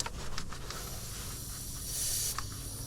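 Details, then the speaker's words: Truck air system at pressure, leak up by the engine: thin sharp hiss from a push-to-connect air line fitting that stops dead when the line is pulled; it likely needs to be taken out and reconnected once pressure is released. "a lot of times you can just play with the connections and they'll stop leaking this one I might need to just take it out reconnect it"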